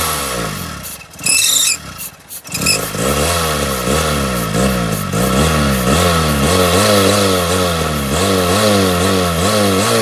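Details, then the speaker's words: Car that died on the road, cranking with starting fluid sprayed into throttle body after intake removed: sharp backfire pop then lumpy surging running on fluid alone; won't run otherwise, no fuel delivery. "as we saw when we tried to start the engine without the starting fluid the engine wouldn't crank over once we start feeding some of this starting fluid right into the throttle body the engine started to respond and then it actually made us a backfire"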